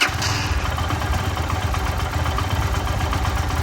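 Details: Lifan KPR 200 single, about half warm on a cold day, idling after idle air bypass ("gulp") valve adjustment that fixed dying on throttle blips: even, steady low putter with no stumbling or hunting; normal idle.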